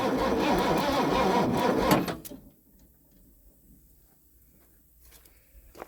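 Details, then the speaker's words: Ford F-150 V8 farm truck, sat over 10 years in a field, new battery fitted; about two seconds of sluggish, labored cranking at three to four beats a second, no firing. Slow cranking, owner suspects corrosion. "Okay so she turns um not very fast which I'm guessing is due to some of this corrosion"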